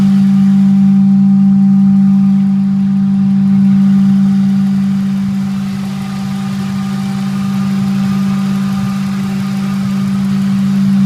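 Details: Ford 4.6 SOHC V8: steady low hum over the idle, unchanged as revs rise slightly; humming noise, source not pinned down.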